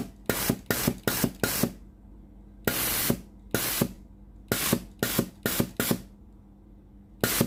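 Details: Philips GC9622 steam generator iron after water solenoid valve replacement, fault was dripping and no steam, tested at hose end: about a dozen crisp strong hissing bursts with quiet gaps; steam exceeds pipe length, valve normal.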